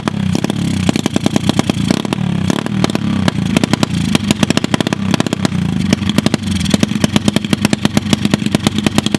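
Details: Lake-recovered mini pit bike after first oil change (milky oil drained) and fresh oil: quick, crisp single-cylinder popping rising and falling with throttle, running steadily; carb still needs tuning; normal running.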